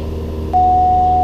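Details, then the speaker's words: Cessna 172 after landing, engine at idle power too long: over a low idle rumble a steady mid-pitched tone switches on and holds, the low-vacuum indicator warning. "What is that noise? That's just the vacuum indicator. If you keep the power idle for too long, the vacuum indicator gets upset."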